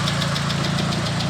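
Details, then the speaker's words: Proton Satria at operating temperature after radiator refill: steady even idle with radiator fan whirring on; cooling normal, though a coolant leak at the throttle body remains. "let it reach operating temperature and if the fan comes on then we are all good ah yes and she's on yeah all right that means we are"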